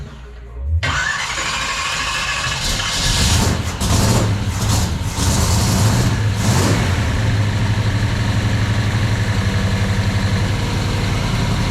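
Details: V8 in a 1979 Camaro split-bumper conversion, after fuel line fitted and transmission rebuilt, starts first try, blips, then settles into a strong even lope with no knocking; normal idle, though an oil pressure sensor fitting leaks.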